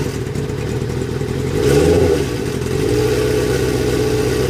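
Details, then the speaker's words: 1998 Kawasaki ZX-6R: an uneven, clattery rattle rides over the engine and swells as it revs, then settles; unknown abnormal noise, bike also runs poorly, cause unclear. "What is that noise? And why does my bike run like this?"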